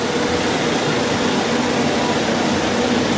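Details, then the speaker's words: 1959 IBM 729 7-track vacuum-column tape drive on an IBM 1401, tested after the brush blocks were refitted to cure read/write errors caused by brush sparking: a steady even vacuum blower whoosh as the tape writes and reads, no scraping or clatter. The test program reports no errors. "Nous écrivons et lisons sur la bande, on espére"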